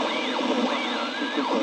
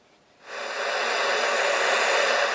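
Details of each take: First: Two-valve super-regenerative VHF receiver (120-160 MHz) on larger speaker: warbling whistle sweeping up and down over steady hiss, a harmonic of the quench frequency that varies with the quench potentiometer. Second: Homebuilt two-valve super-regenerative VHF receiver (120–160 MHz), heard after audio mods including an audio-taper volume pot. A steady rushing hiss swells smoothly, holds, then fades evenly: the normal sound of a working super-regen.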